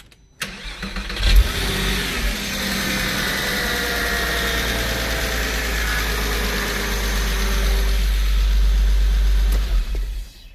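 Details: Porsche 986 Boxster flat-six after engine-out IMS bearing, starter, oil vapor separator, oil cooler, pump and AC compressor replacement, restart: brief crank, clean catch with small flare, then even steady idle, no rattles; healthy start and idle.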